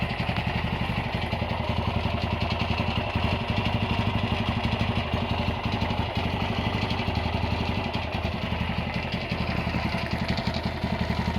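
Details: Honda GL100 (GLK 100) single-cylinder engine before rebuild, idling with a fast, uneven metallic rattle about four per second from the clutch side over a steady thump; top end quiet, smokes, oil seepage below; loose primary gear rattle.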